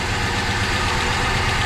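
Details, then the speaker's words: 1973 Dodge Dart Sport V8 idling after head work, lifter noise gone: uneven, lumpy loping idle; cylinder number seven is sparking but dead, also affecting the neighbouring cylinder, firing order confirmed correct; dead cylinder misfire. "this is number seven nothing it is sparking but it just got nothing"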